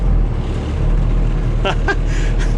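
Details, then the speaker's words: 1986 dump truck, 118,000 miles, old diesel, first start: started easily, deep steady low rumble with even beat, no knocks or misses; good air pressure; idling smoothly. "that started too easy that wasn't exciting at all wow she runs good though"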